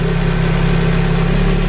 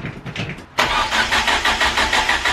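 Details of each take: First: Ford Focus RS Mk1 after lower sump replacement and heli-coiled crankcase rebuild, first start after months off road, before warming up: steady low petrol idle with faint light valve-train tapping, typical for these engines; nothing heavy. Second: Ford Focus RS Mk1 after crankcase helicoil repair and a new lower sump, months off the road. Coil pack lead off: three ~2-second bursts of even starter cranking to build oil pressure, never catching.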